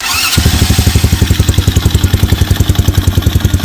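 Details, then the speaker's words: Tractor Supply Mini Jeep by Massimo: engine runs at steady chugging about 3.5 beats a second while the starter keeps whirring after firing and won't stop unless the battery is disconnected; ignition already replaced, no change; starter solenoid relay stuck. "starts but the starter will not quit turning unless you disconnect the battery now it'll run just fine you can cut the switch off and it'll cut off so I figure starter solenoid right"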